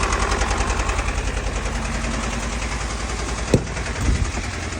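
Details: Mercedes OM651 diesel at idle: quick, uneven clatter heavier than normal injector tick; owner says revs rise by themselves and drop when braking; knock cause unclear.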